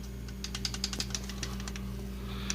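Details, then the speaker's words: 1997 Mitsubishi Mirage 1.8L 4G93 with mechanical adjustable valve lash, before adjustment: light, sharp ticking in quick, uneven clusters over a low engine hum, worst on takeoff; loose rockers with too much valve clearance. "i don't actually know how far off they are i mean you never really know that ahead of time but um i just like i said i heard too much noise and uh i don't like it"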